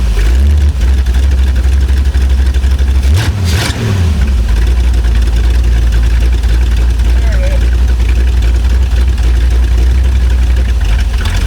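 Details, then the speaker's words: Abandoned Chevrolet C10 project V8 with no exhaust fitted, being test-started to check the engine; loud, deep open-pipe rumble with a short rev, then steady strong idle, sounds really good: healthy engine running. "That thing actually sounds really good."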